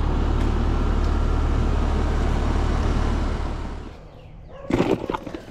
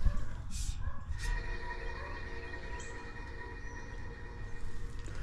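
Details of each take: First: Healthy condenser fan motor on a same-age HVAC system for comparison: steady smooth low whoosh and hum, then coast down and a few clunks; contrasts with the dry-bearing whine of the motor being replaced. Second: Eight-year-old HVAC condenser fan motor under warranty, at startup during maintenance: thin steady whine over the fan's low rumble from dry motor bearings; replacement of the motor may be recommended.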